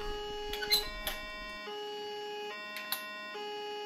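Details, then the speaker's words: Asus P3B-F board with Pentium 3 and GeForce2 sounds a steady two-tone high-low siren about every two seconds; hardware monitor had shown 12 V rail at 10.5–10.8 V, though later readings and multimeter stayed above 12 V; cause unconfirmed. "now i'm not an expert in asus beep codes but this doesn't sound good"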